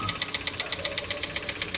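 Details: Mitsubishi Xpander noisy right after an oil change, idling: a fast, even metallic tick at about eight per second, timing chain rattle; the oil put in is far too thick, possibly gear oil, with a Honda filter fitted, and will be drained.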